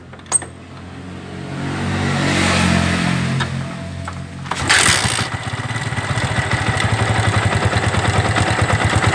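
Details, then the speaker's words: 2009 Yamaha Vixion, running after start, head noise persisting despite replaced cam chain, guide and tensioner: rapid metallic tapping and rubbing over idle about three times a second; worn camshaft bearing up top. "Ada bunyi seperti gesekan dan bunyi ketukan juga ya. Bunyi bantingan, bunyi kontakan di dalam mesinnya."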